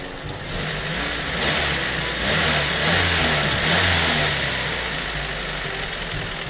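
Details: Carbureted Toyota Corolla that won't hold idle: engine speed surges up and falls back with a hissy intake sound; carburetor problem suspected, not confirmed.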